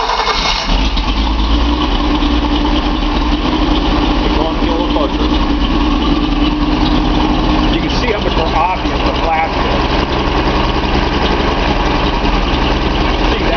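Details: Nissan 280Z L28 six-cylinder at idle: steady idle with uneven lumpy beat, one cylinder seemingly dropping out; owner suspects cylinder 6 injector clogged.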